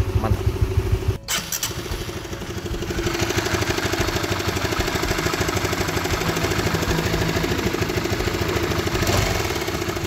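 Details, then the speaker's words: Honda CB150R engine idling with a light, uneven clattering knock from the top end, a worn cam chain tensioner (LAT) that sounds only intermittently; to be fixed by adjusting the tensioner. "Nah itu bunyi nguk dari Tensioner yang sudah kena pada motor Honda CB150R yang sama kita next video kita langsung eksekusi thanks"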